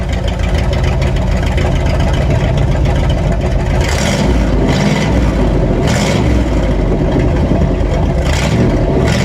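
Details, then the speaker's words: 1958 Chevy Apache running after plug clean and gap: deep, loud, raw rumble, harsher than stock, because the Cherry Bomb muffler joining the exhaust sections is no longer there. "now if you're wondering why it's so loud uh there was a cherry bomb connecting uh part of the exhaust for the rest of the exhaust that's no longer in there"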